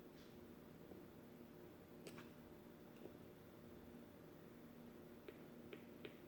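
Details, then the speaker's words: 1960s Volt 2 two-transistor radio, previously completely dead, on a 4.3 V battery: quiet hiss with no station and sharp irregular speaker pops when the power switch is wiggled; intermittent connection, still no reception. "hear that now now with a pop out of the speaker when you wiggle the the power switch we weren't getting that before so uh definitely better"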